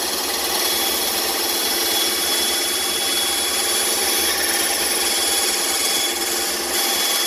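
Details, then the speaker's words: Bandsaw, new and still being dialed in, cutting along a curved line after relief cuts: steady bright hiss of the blade through wood, no slowing or labouring; normal bandsaw cutting without bogging. "Okay, so now I've made my relief cuts. Now I'm going to cut along that line."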